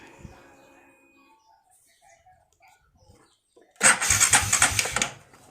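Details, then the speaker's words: Honda Wave 125i LED starter motor cranking: about a second of loud, harsh whirring with rapid uneven pulses; starter is noisy, sometimes weak, owner suspects loose magnet or worn brushes before teardown. "และก็เสียงประมาณนี้นะครับมาค้างมันก็จะดังกว่านี้นะครับผมแล้วแต่สตาร์ทเป็นบางครั้งบางครั้งก็เหมือนไม่มีแรงครับ"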